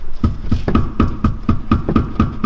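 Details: Mercedes S-Class 500 inspected from underneath on a lift, upper control arm levered: sharp metallic knocks about four times a second, each with a brief ring; worn upper control arm bushing.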